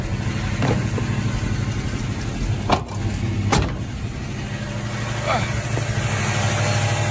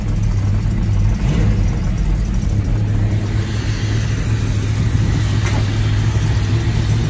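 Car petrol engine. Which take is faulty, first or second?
first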